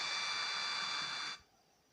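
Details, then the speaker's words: Rickshaw/bus MP3 tape player amplifier after replacing shorted LA4440 ICs, second channel tested: clean steady hiss-like speaker sound cutting off sharply, no crackle or distortion; working normally. "सो देखिए दोस्तों, हमारा दूसरा ऐसे भी काम कर रहा है, बिल्कुल ओके है।"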